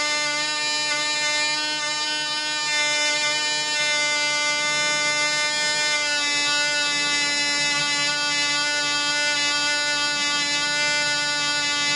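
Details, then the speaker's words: Black Widow mouse racer glow engine, 5x3 prop, 24% nitromethane, after tightening loose screws that were probably foaming the fuel: high steady buzzing at constant pitch, about twice as loud with prop wind audible, no misses or surging; running clean and better. "at least gives you one and for it runs out that cigs about twice as loud and I swear I can hear the wind off the prop so it runs better"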